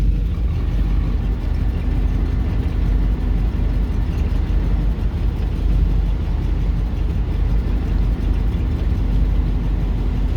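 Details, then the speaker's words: Buick ("Bluick") idling in reverse after sitting untouched since about September 2023, reverse lights, headlights and blower adding electrical load; heavy, lumpy, shaky idle that sputters and runs rough under load, less bad in drive. "you hear how it runs like a bag of [ __ ] like that [Music] drive not as bad cuz reverse you got the reverse lights for more load you could hear it sputter"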